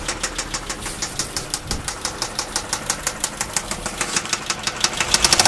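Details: 2007 Dodge Charger 3.5 engine: sharp, fairly even ticking about three times a second over idle, top-end knock, cause unknown; transmission also acts low on fluid and runs badly.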